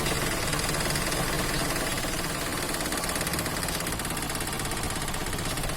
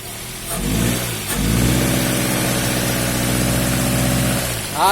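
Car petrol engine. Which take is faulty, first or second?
first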